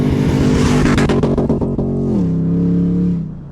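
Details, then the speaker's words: 2024 Nissan Patrol Y62 V8 with Harrop 2300 supercharger, tune, 1 7/8-inch ceramic coated headers, cat delete pipes and 3-inch high flow exhaust: deep revs up then smooth steady rumble with no misses, rattles or knocks; normal exhaust note. "And then I have cat delete pipes underneath as well as a 3-in high flow exhaust to send it through. I'll put up a clip of what it sounds like right now."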